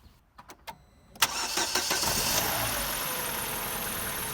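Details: Vauxhall Zafira after repairing a poor positive battery terminal connection that had caused slow winter cranking and a flat battery: a few light clicks, then a quick crank that catches at once and settles into a steady, even idle; normal start.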